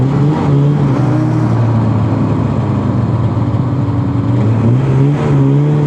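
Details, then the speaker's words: 1981 Ski-Doo Blizzard 5500 two-stroke snowmobile with spark and fuel checked: drones steadily at low speed with a ragged, uneven edge; fine slow but breaks up at high speed, only 30 mph. "it was running good it's good at slow speeds it breaks up at high speeds 30 miles an hour is all he could get out of it"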